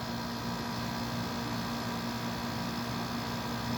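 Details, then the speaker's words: Carrier Siesta II window air conditioner, metal isolation bracket carrying the fan motor: steady, even hum with smooth airflow hiss, no rattles or knocks; unit runs quietly and healthy, normal running. "This sounds really good."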